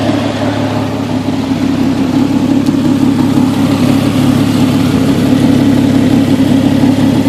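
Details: 1998 Jeep XJ 4.0, ignition coil refitted with custom straps; rough, uneven idle with a lumpy, stumbling beat about three per second; misfire and running problems, cause not confirmed.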